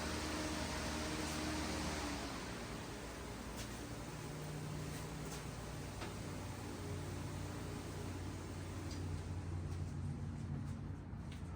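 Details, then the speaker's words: 454 big-block Chevy, bored 30 over (about 460 cubic inches), low compression, during break-in through open headers with fan running: steady, even rumble with no knocks or misses; healthy-running engine. "I mean, I know I didn't build it, but it's still kind of neat hearing it run."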